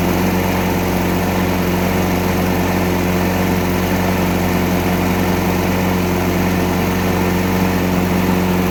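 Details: Craftsman Platinum 7.25 190cc push mower after cleaning carbon and oily deposits from the cylinder head and piston, with cleaned carburetor, new plug and fresh gas: steady, even buzz with no misses, knocks or surging; running clean and healthy.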